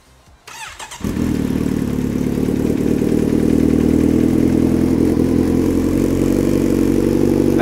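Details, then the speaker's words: Kawasaki Z900RS inline-four with newly fitted full-system exhaust, no ECU flash or tune: quick crank, then catches and settles into a deep, even, bassier-than-expected idle with a steady beat; healthy start. "it's a lot bassier than i thought it was going to be"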